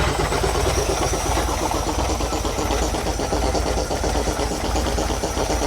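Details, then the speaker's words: 1950s REO dump truck, straight-six, sitting over 22 years, running again: uneven idle with a steady pumping chug as the air compressor builds brake pressure normally; pressure likely bled off through a leaking tank. "So, let's uh let this build some air pressure and then we'll see if that brake pedal brake butto"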